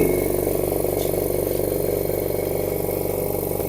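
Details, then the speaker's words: Oil-free air compressor that was filling its tank very slowly, running with the intake air filter removed. Steady even thumping at about four strokes a second; this is the normal sound. With the filter fitted, it had thumped weakly as if lacking compression. "คือเสียงปกติของเา้าครับแต่เมื่อกี้อพอผมใส่ตัวเเสียงมันจะปับๆๆๆๆเหมือนมันไม่มีกำลังอัดครับผม"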